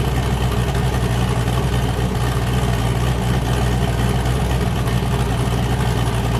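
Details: "James Brown" boosted V8 with a new cam, started and warming up after an earlier 23 psi run blew the coupler off: deep loping idle with a hard cam chop, firing evenly on all cylinders; healthy aggressive idle.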